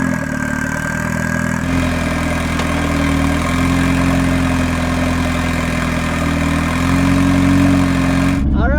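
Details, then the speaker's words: Off-road Mazda Miata after fitting custom tie rods (control arm broken): engine catches and settles into a cold idle whose steady rumble wavers and hunts slightly; rough cold start, cause not pinned down. "I will admit it is not the cleanest of cold starts."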